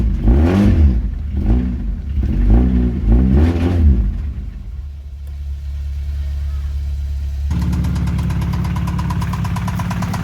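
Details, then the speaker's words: Acura Integra idling after an alternator replacement and a jump start (battery dead after a month unused): a few revs, then a quick, even light tapping over the running engine; owner suspects engine knock, cause unknown. "Okay, so the alternator is replaced, but I think somebody is knocking. Okay guys, thanks for watching. This is gonna be it, and probably in the future is gonna be a new engine for this thing, because it sounds like it's knocking."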